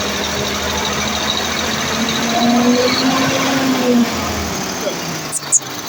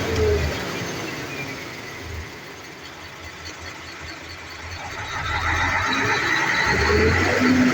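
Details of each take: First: Mercedes-Benz Actros V6 diesel after replacing the faulty injector nozzles and electronic unit pump: steady, even idle with a constant low drone and no hunting or surging. The earlier RPM fluctuation and hard starting are resolved; it sounds healthy. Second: Mercedes-Benz Actros V6 diesel at idle: rpm swells and sags over several seconds instead of holding steady, also hard starting; hunting caused by faulty injector nozzles with non-uniform atomisation and electronic unit pumps.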